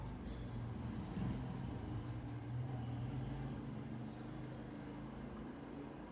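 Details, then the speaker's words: KDK industrial 56-inch ceiling fan model B56X5 on speed 3, nearly 10 years installed, loose motor shaft: low steady drone with loose uneven rattle as the light kit shakes and the glass bounces, rubbing against the bulb; wobble with globe rattle. "The only thing that kind of is annoying about it, speed 3, is it shakes a lot and you kind of hear the glass kind of bounces around. You can kind of hear it rubbing against the light bulb and such,"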